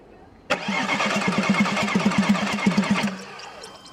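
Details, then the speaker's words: Audi A6 C5 2.5 TDI V6 (AKE) diesel, two injection pumps replaced without success: steady starter cranking about three beats a second for under three seconds, never catching; no-start caused by injection pump timing well out. "Yes, well, it is clear that the machine will not start, well, let's see the errors."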